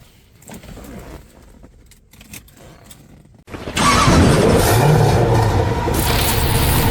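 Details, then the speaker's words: Mercedes-Benz W124 with distributor-type 1JZ/2JZ swap, previously idling rough: starter churns steadily, about four beats a second, but engine never fires; no spark at plugs, loose corroded connection found, ECU later replaced. "BenW124นะฮะเครื่อง1Jจานจ่ายนะครับมาด้วยการเบาสั่นนะแต่ตอนเนี้ยสตาร์ทไม่ติดละกำลังจะเอาขึ้นมาเช็คนะดู"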